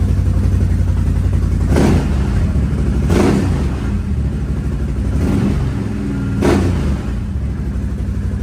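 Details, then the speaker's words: Motorcycle with 8,727 km, blipped up and back down during a cold-start session. It sounds crisp and even with no knocks or rattles: a healthy engine revving. "Oh yeah. That sounds good. Let her idle down for a minute, then we'll start this bastard."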